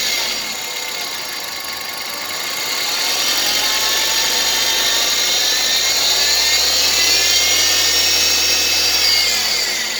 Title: Whine noise?